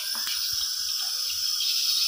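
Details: LPG gas cylinder with regulator attached: loud steady high-pitched hiss of gas escaping where the regulator meets the poorly sealing cylinder valve; fixed by padding it with a cut piece of unused rubber vacuum hose.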